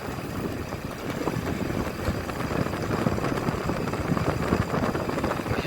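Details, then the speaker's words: Non-inverter window-type aircon test run after replacing with a universal PCB board and rewiring line 1, line 2, neutral, compressor and high/medium/low fan: an even fan whoosh over a low compressor rumble, no knocks or rattles; running normally. "So, labig na mga bay. Under na siya. Yung receiver niya, standby, at saka yun sa compressor."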